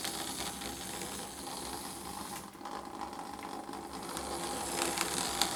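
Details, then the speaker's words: Lima model locomotive test-run on track after fitting a 3D-printed replacement gear: light, even motor whir with soft gear chatter, no catching or grinding; drive running smoothly. "sounds alright so I might do I might give it some a bit of a run around here"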